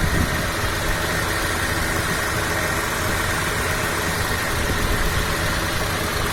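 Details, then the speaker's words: 1997 Honda Civic Ferio automatic, 1600 cc fuel-injected engine, original 1997 engine: even constant idle hum with no tapping, misfire or surging, minimal vibration; engine dry with minimal oil seepage; healthy at rest. "Untuk usia mesin, ini usia mesinnya tahun 97 sesuai usianya. Langsam ya. Ini minim getaran."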